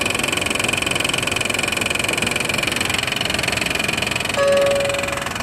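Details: 1995 Honda Passport (rebadged Isuzu Rodeo) 3.2 V6, long-running racket at idle: fast loud ticking about three to four per second over a steady idle; owner suspected exhaust leak but fears worse, cause undetermined.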